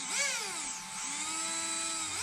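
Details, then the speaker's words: Traxxas X-Maxx 8S RC car motor held in hand after replacing failed motor bearings, run below full throttle: clean, smooth whine rising and falling with throttle, no grinding or rattle; motor now quiet. "nice and quiet it was the motor bearings"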